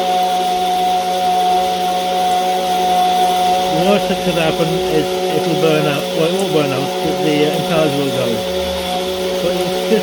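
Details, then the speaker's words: Small £11 pump in a DIY 22-barrel rainwater irrigation system, running dry: a steady mid-pitched motor hum with a rough, wavering whirr and no water. The owner has run it dry for an hour before without overheating. "That noise is down to the dry pump. I'm not sure how long it will last if I leave it for an hour, but it doesn't overheat, or it doesn't overheat."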